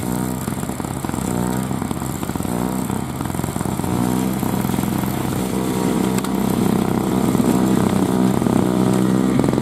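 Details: 2003 Murray single-stage two-stroke snow blower, first run in 5 years, pushing through snow: a crisp, steady buzz that holds its beat, running clean and even; normal two-stroke running under load.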